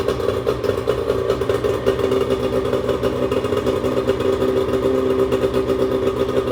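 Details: 1996 bass boat outboard running steadily after cleanup, with an even engine note, light mechanical clatter and no misses or surging; owner had earlier feared it was running on one cylinder and leaking fuel. Normal running.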